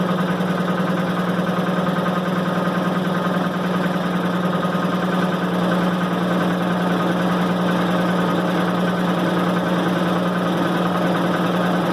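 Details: 1990 Maytag LA211 washer on spin cycle: steady low groan at one pitch, no knocking. Belts, brake and the bearing the brake spins on already replaced; cause still unknown.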